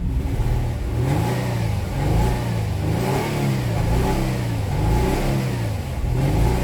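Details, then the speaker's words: 2009 Nissan Maxima 3.5 V6 with no codes, revved repeatedly: choppy, uneven exhaust note stumbling as revs climb, misfiring on snap throttle down low and clearing around 3,000 rpm; an arcing condition is suspected. "Snap throttle, misfire, rev it up around 3,000, clear up. Yeah, you know what this is. This gotta be an arcing condition all day."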